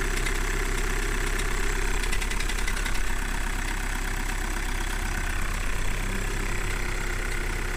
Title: Volkswagen Golf 1.6 TDI Cold Start Rattling Knocking Noise